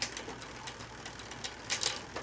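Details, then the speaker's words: Newly installed wide-range 1x9 bicycle drivetrain in lowest gear: light irregular chain clicking, a slight steady click the owner isn't thrilled with, though the shifting is otherwise liked. "Just make sure it's in the lowest gear. And you hear that clicking. I'm not really thrilled with that, but slight clicking there."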